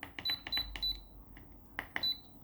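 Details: Programmable electronic load testing a quality 2 m USB 3.0 extension near 1.1–1.2 A: short high beeps in threes with clicks, undervoltage cutoff alarm at its limit; rated 0.9 A, it delivered 1.3 A.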